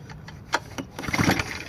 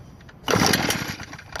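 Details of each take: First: New Echo leaf blower on Stihl synthetic two-stroke mix, choke set and stiff, being pull-started: four rasping cranks about two seconds apart that never fire, because the on switch had been bumped off. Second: New Echo leaf blower on synthetic mix, started on choke once the bumped-off on switch was turned back on: catches abruptly into a busy two-stroke rasp, a clean normal start, choke then cut.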